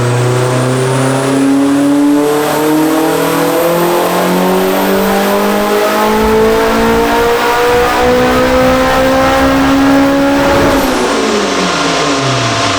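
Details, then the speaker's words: Turbocharged Acura RSX Type S, FWD, on dyno: revs climb smoothly and cleanly to high rpm with no stumble or misfire; healthy full-throttle pull, 562 hp on 19 lb boost, data log good. "we're at like 189 everything looks good in the data log felt super good super crisp with the other boost controller"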